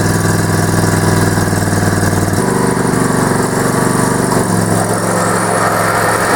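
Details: Yard Man tractor with a 20 HP Briggs Intek V-twin, run off a booster pack with no battery: a steady, even V-twin beat with a lower-pitched load change as the mower deck engages. The engine runs smoothly and holds speed.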